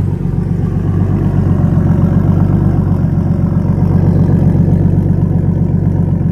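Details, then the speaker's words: BMW E36 325i turbo, started cold and idling about 9 minutes: a steady low rumble with a faint rapid clack that grows audible around 9 minutes. Ticking noise at idle, source unclear. "ça va je commence à l'entendre claquer là là ça fait 9 minutes"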